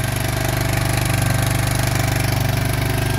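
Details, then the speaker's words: 2003 Yamaha Big Bear 400 push-button 4x4 ATV, cold start on choke: fast, even thumping single with a steady beat, no smoke, no leaks, no ticks or knocks; normal cold-start idle. "no leaks at all on this thing all right choke down runs great you can hear no uh no Weir ticks no knocks it's a strong machine"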